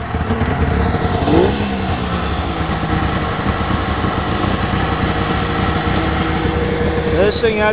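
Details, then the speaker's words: 1996 Polaris XLT 600 snowmobile cold start without choke, after rebuild and tune and two weeks sitting: catches quickly and settles into a steady, crisp two-stroke idle with no stumbling; a normal cold start. "running in i don't know two weeks you can't fully choke it because the [ __ ] flood out that's how a well-tuned sled should start"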